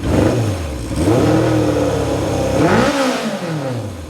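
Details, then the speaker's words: 1978 Kawasaki KZ650 four-cylinder after revival, exhaust packing possibly blowing out: crisp rev climbing smoothly toward about 5,000 rpm and falling, pulling clean with no miss or clatter. It sounds healthy, though the idle occasionally hangs up on return. "It's got a good sound when you get up around. It does have a good sound when you get up around 5,000 RPMs."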